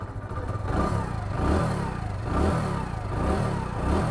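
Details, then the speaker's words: Hero Passion X Pro (i3s) engine after timing chain fitting and repair, freshly washed: clean throttle blips rising and settling evenly, silent idle, no rattle or ticking, sounds like new; healthy engine. "बिल्कुल साई साई की आवाज़ आ रही है, बिल्कुल fresh जैसे कि new होती है।"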